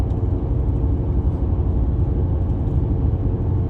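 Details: 2015 Mercedes W222 S550 while driving: deep steady rumbling hum in the cabin from a bad wheel bearing; original bearing turns stiffly compared with the replacement bearing.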